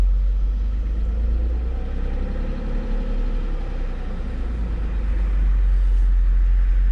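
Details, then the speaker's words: Old Mercedes (called a 300SL) revived after sitting nine years, oil checked: low, steady rumble with an even beat and no knocks or misses; a smooth, healthy six-cylinder idle. "Well, she's alive and she actually sounds pretty healthy. Let's see how well she idles."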